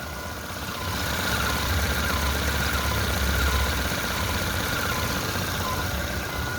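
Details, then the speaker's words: Petrol engine idling with a faint whirring and light, rapid chatter from the belt area, belt noise on a GM car (Meriva/Montana/Agile/Corsa/Spin/Cobalt/Onix family), traced with a stethoscope to a worn water pump bearing. "Aí galera esse barulho é bomba d'água galerinha"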